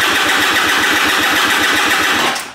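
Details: Piaggio SKR 125cc scooter: quick, even starter cranking at about eight pulses a second with no firing. Cranks but won't start; spark plug, spark and compression being checked, cause not yet found.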